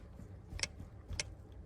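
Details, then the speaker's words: Tesla Model S jacked up in jack mode, brake on, wheel rocked by hand: three sharp metallic clicks about every half second from play in the top control arm, not the jack. Worn control arm. "the knock, not the noise of my jack."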